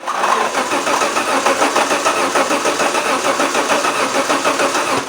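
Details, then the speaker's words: Alfa Romeo 164 2.0 V6 turbo crank no-start; steady starter cranking at about three pulses per second with no firing. Testing while cranking confirms the fuel pump relay gets no activation signal, missing either positive or negative. "so clearly we are confirming again that we do not have signal to close the relay so you must search for what is missing like I said is it missing positive or negative"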